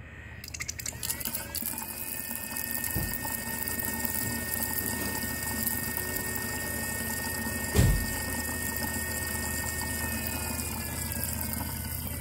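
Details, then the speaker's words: BMW fan stuck on high, dead cold, coolant venting self-test active: low steady croaking growl like a frog under a constant hum, no coolant flow; electric water pump likely bad, later repaired. "you hear that low low Gro sounds like maybe a frog croak and nothing else is happening you're not getting any coolant flow out of this we pole you likely have a bad water pump"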